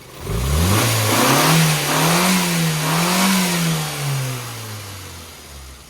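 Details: Classic car revving on a new rebuilt HIF38 carburetor, fitted after five different needles in the old carb failed: picks up cleanly from idle, holds strong rev swells and eases back with no hesitation or flat spots. Fuelling is good.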